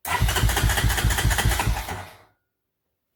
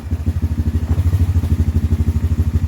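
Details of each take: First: 1993 Honda TRX 300EX carburetor with a size 40 idle jet replacing the original 38, air box off: engine catches in short bursts, stumbles and dies after a couple of seconds, idle raised too far; still not running right. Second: 2007 Honda Recon ATV single-cylinder after carb clean and tune, warmed up: fast, even thumping with steady firing, no misses or clatter; healthy normal idle.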